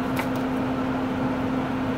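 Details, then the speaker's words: RV propane furnace in a cargo trailer, powered by a Yeti 1250 solar generator, switched on in snowy cold: steady, even, firm fan hum with no surging. Sounds better than last time, when low power left the fan weak. Normal blower operation. "I'm turning this on you can hear this kicked on you should hear the igniter go I'm going to shut this door see if we can see the flame when it goes sounds much better than last time though"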